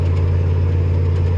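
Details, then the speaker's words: OBS truck V8 while driving after new spark plug wires: deep, even drone at a steady pitch with no stumbles or skips; earlier misfire gone and running smoother. "he's running down smooth it's running a lot smoother I must say"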